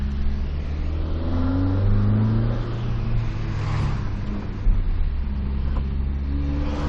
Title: 2zz weird noise at 2500rpm only in high throttle